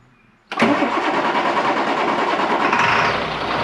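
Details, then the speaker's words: Water truck engine starts: quiet, then it catches and settles straight into a steady, even run with no stumbling. Starts and runs properly, and the sensor fixed it. "Ah, that sensor fixed it."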